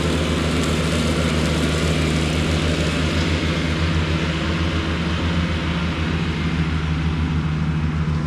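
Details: Cushman diesel front-deck mower, bought with a supposedly bad hydraulic pump, tires re-aired, mowing the yard: steady diesel drone with an even low thrum under cutting load, no knocks or misses; it mows nicely.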